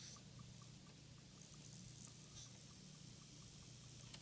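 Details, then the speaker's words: Walthers GP38-2 Santa Fe model locomotive, motor run on the bench, forward then backward: a very soft, steady hum with light pattering and no grinding. It is very quiet both ways, so any noise probably comes from the trucks. "And backward. So it's very, very quiet both directions."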